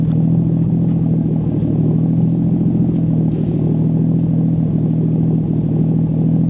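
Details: Nissan 240SX S13 with swapped RB20DET, big turbo install, running after loosening an overtightened belt that had caused a supercharger-like whine, no blow-off valve: much quieter, injectors audible, steady smooth drone, no knocks; healthy.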